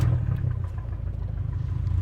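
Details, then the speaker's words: Abarth 500/595/695 at idle after swapping coil packs: uneven chuffing pulse with regular stumbles; misfire stays on cylinder three, so coil pack is good. "Okay, so now we've started the engine back up and we still have a misfire as expected, but now we're going to see if it's still on cylinder three or if it has moved to cylinder four."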